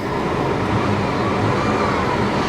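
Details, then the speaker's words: GM 3800 V6, cold AC running, engine earlier seemed to shake a little: smooth rising rev with an even tone, no stumbles, pops or misfire; healthy engine revving. "you can rev it up the engine sounds healthy and it's smooth it's not misfiring"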